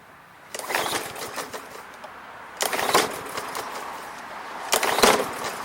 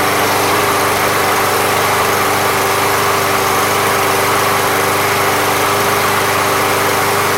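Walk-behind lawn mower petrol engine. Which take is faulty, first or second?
first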